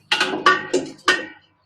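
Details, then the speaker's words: Thundercat sandrail buggy carburetor removed and tipped upside down; hollow clunks as the floats drop and bounce freely inside the bowl. Floats moving freely, a good sign. "Now you can hear the floats bouncing upside down. That's a good thing."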